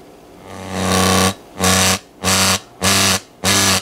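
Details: Montgomery Ward Airline 74WG-1510A AM tube radio, supply switched to two bulbs, not drawing excess power: loud buzzing bursts about a second apart with quiet gaps, level set by the volume control; cause not yet found.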